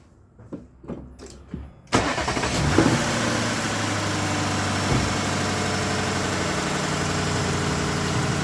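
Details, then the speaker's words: Lexus LS460 V8 in for misfire, after repair: cranks, catches quickly, settles to smooth steady idle with no miss; sounds great, check-engine light remains for camshaft actuator circuit fault. "Let's see what it's on for. But it sounds great."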